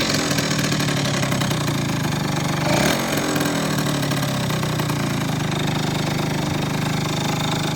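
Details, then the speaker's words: Yamaha Zuma YW50 scooter after pilot jet replacement, with pod-style air filter: small two-stroke putters at a low steady idle, set deliberately low, even beat, no misses; sounds healthy. "got it idling pretty low. I ain't see no sense of just letting it idle damn high as hell."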